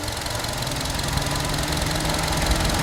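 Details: Hyundai Grandeur HG, two years old: rough uneven metallic knocking over the idle at roughly three or four beats a second; engine knocking noise from inside the engine.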